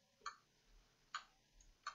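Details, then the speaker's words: Acer Aspire 5349 laptop powering on and hanging at the boot logo, with sharp single clicks about every 0.8 s from the hard drive; faulty hard drive suspected. "okay there's a clicking sound turning on and as you can see it's stuck here on the boats logo"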